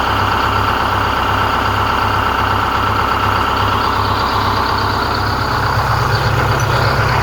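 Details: 4106 diesel after Allison V730 transmission swap, in shop: deep steady idle with even pulse, no misses, knocks or hissing; normal healthy idle.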